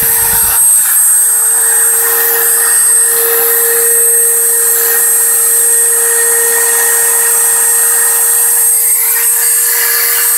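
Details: Five-day-old Dremel 3000 at maximum speed: a piercing, constant high whistle over a steady mid tone, absent for the first two days. The shaft also spins jerkily with visible runout; cause not confirmed.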